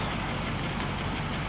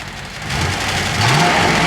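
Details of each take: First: 1995 Cadillac Fleetwood after an engine misfire fix: rough, rattly run with loose low clatter and hiss; the exhaust is clanky and noisy and may need replacing. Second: 1995 Cadillac Fleetwood after its engine misfire was solved: the engine climbs cleanly from idle into strong, even revs without stumbling. Before the fix it was gutless; the exhaust is noted as clanky.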